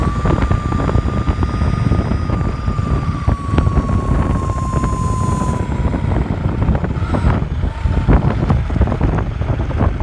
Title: High pitch whining noise